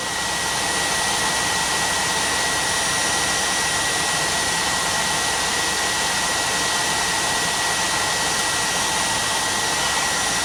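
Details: 2014 Peterbilt sleeper HVAC blower motor running (burned HVAC control module found): strong, steady rushing airflow with faint constant whine, no rubbing or ticking; air comes out cold. Normal blower motor operation.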